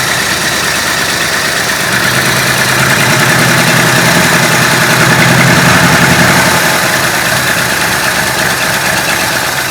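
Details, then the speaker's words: Stock 390 FE big-block V8 in a 1966 Ford Country Sedan, rebuilt with performance cam and used heads, held slightly above idle; steady but dull, soft lazy idle lifting slightly; owner suspects retarded ignition timing, smoothed when revved. "Kind of sounds like it could be a little lazy on the timing. I don't know. So let's check timing, because it will actually run, and once I revved it up, it smoothed out a lot."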